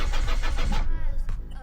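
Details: Land Rover Freelander that cut out on the motorway without warning and won't restart, after a turbo replacement: starter turns the engine over with an even four-beat chug, about four pulses a second, never fires; crank sensor and timing belt checked OK, compression on all four cylinders; cause unknown.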